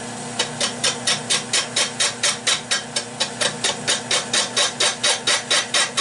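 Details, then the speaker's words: Lathe turning a warped catalpa bowl blank on faceplate: crisp scraping bursts about twice a second, gouge catching only high spots of out-of-round blank; blank is way off, intermittent cut. "as you can hear this thing is way off [Music] just keep poking away at it"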